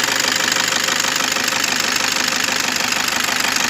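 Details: Toyota Innova V model diesel, engine running with A/C on: fast, even ticking rattle about three per second over a harsh hiss above the idle; the AC compressor bearing is worn out.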